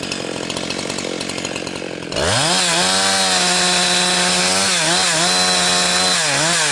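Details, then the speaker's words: Husqvarna 362XP Special chainsaw cutting firewood with a wrong ignition coil fitted by a previous owner: revs up into the cut, then tone sits flat and wavers, "four-stroking" as the coil rev-limits, never reaching full chain speed. "it keeps uh making like it's four stroking because the ignition coil is like I say it's limiting itself out but when it's uh trying to limit it it's frustrated cuz you don't have the chain speed that you need."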